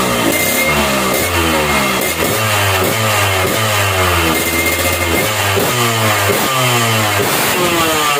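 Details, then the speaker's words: Standard motorcycle, carburetor air screw opened to the lean (dry) setting for the highest, lightest revs: quick blips climbing and dropping crisply, no bogging; light free revving. "nah kayak gitu ya guys ya Jadi kalau setelan kering itu Ringan banget suara mesinnya ya"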